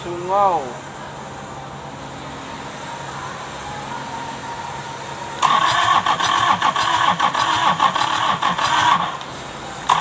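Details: Kubota V1501 4-cylinder, hard starting: short crank burst, long quiet spell, then several seconds of fast uneven cranking that never catches; stuck injection pump stops it firing, being fixed.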